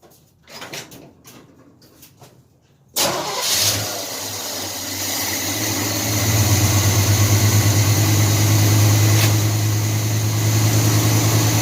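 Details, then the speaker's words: 1978 Chevy C10 350 V8 after a new Edelbrock intake, water pump, belts, thermostat and hoses, needing choke to run: it catches after about three seconds into a smooth cold idle. The carburetor is still distrusted. "better than it used to. A lot more smooth and clean. Hopefully there's no more misfires like it used to have. Man, that thing's purring like a kitten now."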